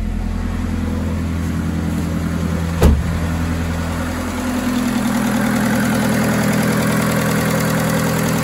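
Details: VW Polo 6N2 (AUA engine) on first start after restoration and exhaust line refurbishment: a steady, even low idle with one brief thump, then smooth with no misses. Some smoke came off the engine, but it runs healthy.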